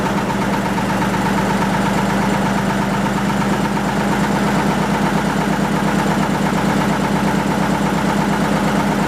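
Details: 1940 Lister JP3 single-phase 230 V diesel genset test run after water pump rebuild (slight weep at top radiator hose clamp): even, unhurried chugging with steady low hum and regular firing, no knocks or misses; normal running.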